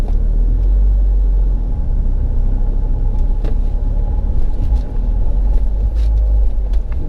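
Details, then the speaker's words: Mahindra XUV500 6-speed manual gearbox after complete overhaul (clutch already replaced by customer), driving under pull: earlier knocking sound from gearbox when pulling is gone; steady road rumble, no whine or grinding; normal gearbox running. "कोई आवाज नहीं पहले क्या होता था जब हम पहले गाड़ी गियर डाल के खीच करके एक साउंड आता था गियर बॉक्स यहां से अब वो साउंड नहीं आ रहा है"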